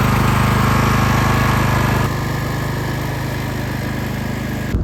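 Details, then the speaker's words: Flipped lawn mower's single-cylinder engine: fast, regular chuffing around 220 beats a minute that drops in speed midway, idling poorly. "So, as you could hear, this thing kind of idles like buns."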